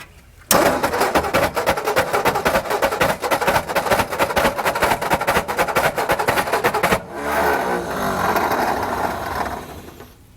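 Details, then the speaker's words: 1960 Ford F-350 that sat 34 years, running on a replacement carburetor with no idle adjustment that is dumping fuel. It catches and stumbles with ragged firing and never idles; they will switch back to the other carburetor. Rough running, flooding. "What a gnarly noise. That is unnerving. It's this carburetor. It's not going to work."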